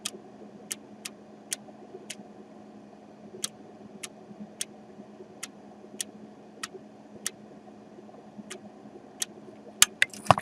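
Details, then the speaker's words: DS18 SLC-X1150.2 car amplifier under repair: light sharp clacks about twice a second over a steady low hum, irregular spacing; clacking persists faintly, stops when product is applied to a suspect part. "je pense qu'on l'entend alors je me suis rendu compte par que si je faisais doucement et que je et que je je mettais le produit sur lui ça empêchait le claquement"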